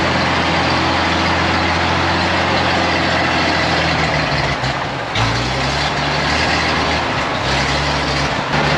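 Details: 1956 GMC 630 fire truck, 503 straight-six, rescued off a farm, idling after a successful start: steady low rumble, even and unbroken, with no misses or knocks. A sound, healthy idle before the idle later starts racing.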